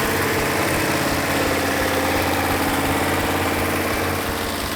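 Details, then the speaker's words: Freshly rebuilt numbers-matching 426 Hemi (Phoenix Cuda) just after first startup with timing and carburetor adjusted: loud, lumpy but even idle with regular firing and no skips or pops. Exhaust felt by hand for misfires; all 8 cylinders firing equally. "This case, I had a perfect running engine. All 8 cylinders were firing equally."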